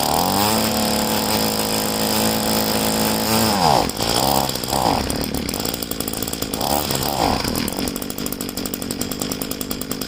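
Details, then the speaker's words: Poulan two-stroke leaf blower being winterized, fuel tank drained and primer bulb empty, run on choke toggled on and off: buzzy engine climbs and drops unevenly, stuttering and fading as it starves for fuel. "Okay, I can feel that all the gas is out of the primer bulb, so I have it on choke now. I'll try to start it up again."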